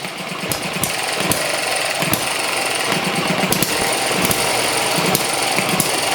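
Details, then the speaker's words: ET6 model hit and miss engine from Banggood, first run on fuel with two-stroke oil mixed in: sharp pops at uneven gaps with quiet coasting between; governor holds exhaust valve open, stopping compression, normal hit and miss governing. "cd governor working there just blocking the uh looking the exhaust valve stopping the compression"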